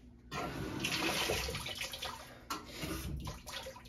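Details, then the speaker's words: Washing machine after lid lock switch replacement: steady rush of water splashing into tub, no hum or grinding; normal initial fill before lid locks. "machines always run a little bit of water before doing anything I hear it"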